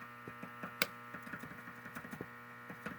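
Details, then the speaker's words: Heathkit DX-60 ham transmitter on 7.18 MHz crystal, heard through a receiver: steady buzzing hum with faint crackles in the audio; owner suspects a bad audio output tube (Radio Shack tube). "Hear that coming through the transmitter, through the radio receiver. I think the audio output tube in this thing is bad."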